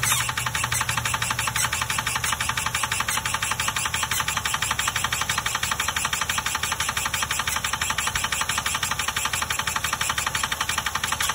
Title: HELP!!! What’s causing this sound?